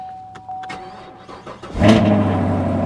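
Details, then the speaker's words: Camaro SS V8 cold start at a salvage auction, coolant reservoir found empty: brief starter whir, then a sharp bark settling into a steady, even idle; valved exhaust quiets after the start; healthy start. "oh wow yeah yeah oh she sounds good let's get you back there hear that exhaust"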